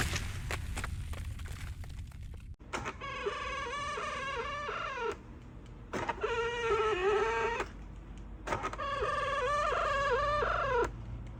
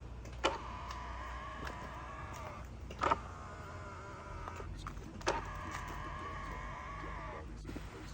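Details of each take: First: Hyundai Sonata LF power folding side mirror: the motor runs in bursts with a loud wavering squeak and grinding. The cause is in the folding mechanism itself, so spraying lubricant won't help. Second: Hyundai Sonata / Kia K5 power mirror after its squeaking folding mechanism was lubricated with lithium-Teflon grease: three smooth, even motor whirs, each starting with a click, with no squeak. The mirror folds normally.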